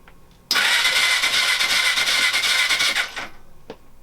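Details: Suzuki GS500 motorcycle cranked for the first time in 5 years, clutch pulled in, WD-40 in cylinders: quick, even whirring crank with no dragging or slowing; engine turns over freely on the starter.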